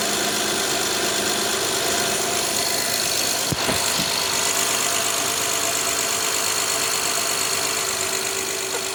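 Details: Honda Odyssey (2011–2017) V6, first start after timing belt kit replacement: steady, even idle with smooth consistent hum, no knocking or ticking; healthy and settled.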